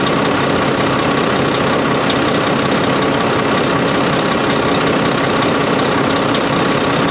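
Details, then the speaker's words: Volvo VNL D13 truck at idle after the crimped, unseated pipe O-ring was replaced: steady, even diesel drone with no whistling or rushing air. Loud windy noise fixed; normal idle. "So just that little I don't know if you can see, but just that little crimp there caused so much noise with the ear to ear, right? Because you have to flush it, have to seat it properly. So that's what happened. So I did it. I solved the problem."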